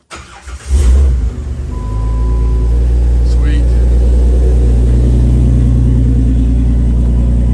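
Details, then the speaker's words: Jeep JKU after installing a Motobilt fuel tank, with five gallons of fuel added and lines primed by the key: engine cranks, catches quickly and settles into a steady, even idle; the fuel pump is audible running. "I don't know if you can hear it but I can hear the fuel pump running all night"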